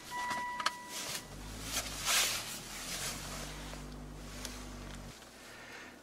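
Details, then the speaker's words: Mercedes that keeps dying after starting, anti-skid service required warning showing; engine catches and runs a few seconds with an uneven low hum, then cuts out abruptly; repeated stalling after start, cause not pinned down. "right so it dies then it starts and then it dies and then it starts this dies and starts died again"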